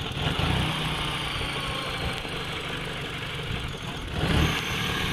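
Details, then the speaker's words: Peugeot car's engine hunting at idle: it drones along, then surges up and settles back every few seconds. The cause has not been found yet, and a diagnostic computer could not connect to the ECU. "well that's not good there you go you can hear it now for bloody hunting all the time"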